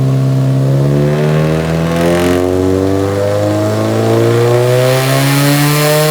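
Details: Nissan 180SX Type X, SR engine with TD06 20G turbo, 3" stainless lobster dump pipe and muffler delete, on the dyno at 15 psi making 255rwkw with injectors maxed: strong, clean pull, pitch climbing steadily, no misses or knocks; a normal full-load pull.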